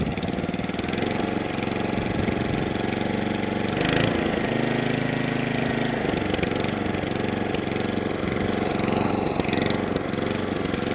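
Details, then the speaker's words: Atco Balmoral 20S cylinder mower: idle rises and sags unevenly, hunting and surging, running lean and wanting a bit more fuel; mixture screws being opened up. "hunting and surging. The May wants a little bit more fuel."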